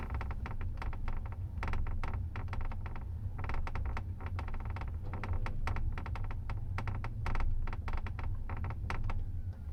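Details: Tesla Model S, phone in left rear seat near left rear suspension: irregular crackling clicks in quick clusters over steady low road rumble while driving, creaking and clicking from rear suspension.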